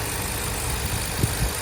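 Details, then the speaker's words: 2023 Ford Super Duty F350 7.3 Godzilla V8 after replacing the loose upper idler pulley; lower idler and tensioner checked fine: low, steady idle with no ticking or chirping from the belt area; normal idle, unsure the intermittent tick is cured. "So, I don't know. Sounds good right now."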